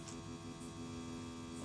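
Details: LA4440 amplifier board powered over USB: constant low mains hum with a buzzy edge, unchanged throughout; earth (ground loop) noise.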